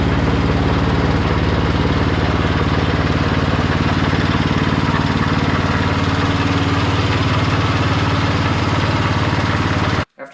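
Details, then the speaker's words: Husqvarna snow blower with Briggs & Stratton Snow Series engine, started cold after its carburetor was replaced: it fires evenly at a steady speed with no misses, surging or hunting; normal running. "the carburetor out on this thing last night and it was running good it's the next morning we're just going to start it up see if all the controls work stuff like that"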